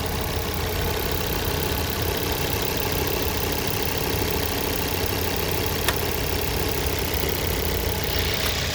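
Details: 2006 Ford Focus ST2 petrol, idling: faint repeated knocking under the busy engine sound, present both cold and hot; owner doesn't know the cause. Engine knocking at idle.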